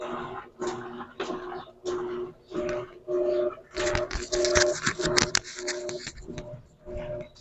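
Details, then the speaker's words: Electrolux LAC13 top-load washer agitating on turbo setting, full of clothes: back-and-forth hum with sharp cracking knocks, as if something hits on both sides, caused by a loose tank cover (capa tanque) with play. "vamos colocar ela para agitar perceber o barulho que tá fazendo na hora de agitar que tá fazendo esse movimento ela fica fazendo um barulho estranho"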